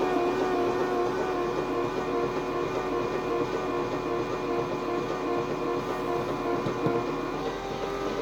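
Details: Triumph Stag V8 after engine rebuild, spark plugs out: even, fast starter whir with steady pitch and no firing; engine spins freely and oil pressure comes up to about 50.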